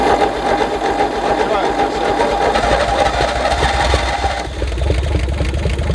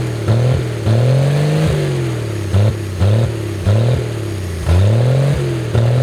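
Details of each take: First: 1964 Chevy Biscayne six parked 30+ years, after getting spark at the points: rapid fairly even firing chatter that catches and runs briefly on a dose of brake clean; engine fires, not just cranks. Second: 1964 Chevy Biscayne, first start after sitting abandoned 30+ years behind a barn, run on brake cleaner: engine swings its pitch with light throttle, firing evenly without misses or knocks, just above idle; normal fast idle.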